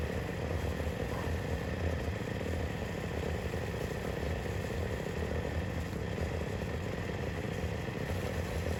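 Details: YFZ WR450 478 hybrid single-cylinder after head gasket repair: smooth, steady rumble with no knock or chatter; runs healthy with good compression.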